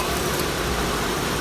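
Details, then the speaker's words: Car at a Copart yard, low on coolant in the surge tank: a steady, even idle hum with no tapping; the piston slap heard earlier has gone away. Normal idle. "All right, the piston slap has gone away."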